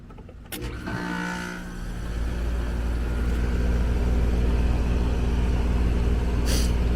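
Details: Apartment condenser after addressing a sloppily installed replacement condenser fan motor, 1/16 hp, 1.9 A (original spec 1/8 hp): steady low hum with even fan drone, no rattles or scraping; condenser fan and compressor running normally.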